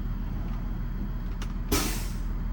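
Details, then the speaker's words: Freightliner diesel pusher RV, engine warm, parked: low diesel rumble, then short sharp burst of air hiss as brake pedal is released; normal air brake release. "let's uh how the brakes feel oh listen to that listen to those air brakes listen to that"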